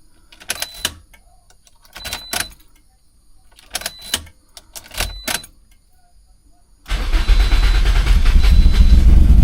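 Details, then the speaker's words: Turbo Toyota Corolla after fuel pump work, no check engine lights: several short cranking bursts that stumble and die, then engine catches into a rough, loud run; hard starting, cause unclear, owner suspects little fuel. "Like, it sounds like it's like so close to starting and then it just doesn't want to start."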